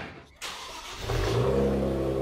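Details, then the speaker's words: Infiniti G35 coupe with a VQ37VHR swap, just fitted with AMS downpipes and a Nismo exhaust, starts and settles into a steady idle; turbos much more audible and the tone is raspier; sounds healthy. "Wow, you can hear the turbos a lot more. Oh my god. Oh my god. It changes the tone a little bit, yeah, for sure. I think it's like it's a little more raspy, you know?"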